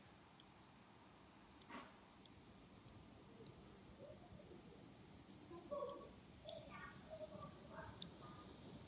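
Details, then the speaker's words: Intermittent sharp, dry clicking from inside a 2016 Razer Blade Stealth 14-inch laptop, only when tilted and fans spin up to higher speed; source near but not at fans, owner wonders if capacitor or other part. "I'd assume the fans are wobbling but the fans are here and here and it sounds like the clicking sounds coming from right about here"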